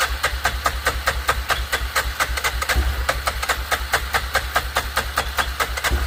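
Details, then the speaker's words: 2006 Arctic Cat 400 4x4 ATV on a jump pack with a dead 6 V battery: quick compression beats, turns over but won't start; owner suspects no fuel, possibly a dirty carburetor. "So it is trying to fire. I'm starting to wonder, I didn't even check the gas."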